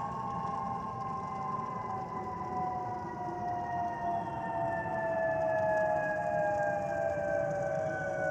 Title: Delta Airlines Airbus A319-114 N352NB DL1435 DCA-DTW (FOPP Whistling Sound)